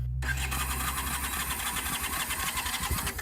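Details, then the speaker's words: Carbureted junkyard motorcycle that sat for years, fuel-tank and carburetor trouble: starter churns sluggishly without the engine catching, battery running down. ">> There goes your battery. >> Battery's getting tired already."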